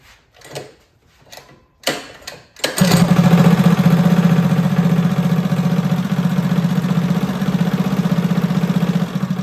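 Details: Freshly rebuilt Predator 212 on a Motovox minibike, new billet parts, rod and cam: a few pulls, catches and settles into a steady even putter with no knocks, running healthy.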